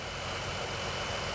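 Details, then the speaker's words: 3.6 Pentastar V6 idling after rocker arm and lifter repair: steady, even idle, valvetrain ticking gone; earlier ticking blamed on cheap non-OEM or old rocker arms, camshaft saved. "Alrighty, guys, there you have it. No more ticking."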